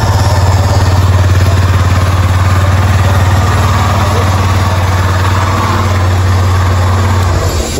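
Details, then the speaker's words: Yamaha Fazer 250 brought in for engine noise, after installing a new cylinder and reassembling: even, steady low thrum with a smooth firing rhythm and no tapping or rattle left. "Caraca, mas ficou sem barulho nenhum mesmo. Incrível."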